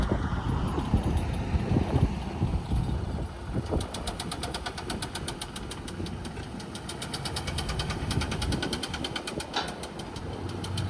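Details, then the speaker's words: 2004 Toyota Camry that likely sat with no oil before purchase, failing while being driven: rough, loose running with a fast, uneven rattling knock like marbles rolling around inside; a deep internal knock is suspected. "I think this is, oh man, it sounds like freaking marbles rolling around in there."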